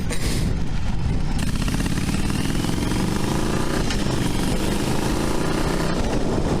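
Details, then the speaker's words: 40-year-old carbureted 5-speed V-twin motorcycle with short gearing, ridden after carb needle seat problems: an even low drone climbing with road speed under heavy wind noise, pulling smoothly with no misses and shifting clutchless fine; running healthy. "Ooh, she sounds good. Woo! Oh, she sounds good."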